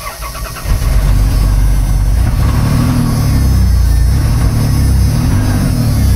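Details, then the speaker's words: 1989 Dodge W100 truck, battery previously low: brief crank, then engine catches within a second and settles into a steady, even low rumble; normal easy start. "that starts up easy."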